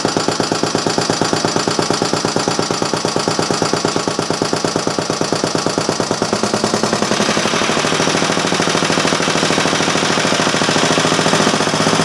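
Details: Restored Briggs & Stratton Model A single-cylinder engine, with an inline fuel filter added (no sediment bowl, tank had gooey deposits), on the bench: sharp, regular exhaust pops at about two per second, steady and even; running well.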